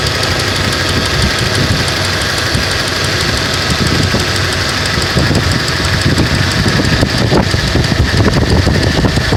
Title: Vibrations and knocking sound of engine